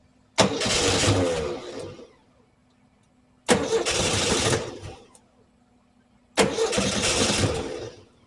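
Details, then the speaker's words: 1968 VW Type 3 with original Bosch fuel injection, fuel pump on at 30 psi: three cranking bursts, engine spins but never catches; air bypass suspected too closed, then a massive vacuum leak found. "Air bypass I might need to open the air bypass, might be too closed. It's going, but it's not catching."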